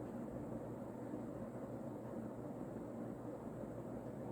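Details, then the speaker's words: Vintage early-mid 1980s Union Ngok Kee 36-inch spinner ceiling fan, model 4CLW-3SPC, rebalanced blades, on high: steady soft air rush over faint even motor hum, no ticking, wobble or rubbing; healthy. "so yeah it's a very nice runner a little bit of motor noise"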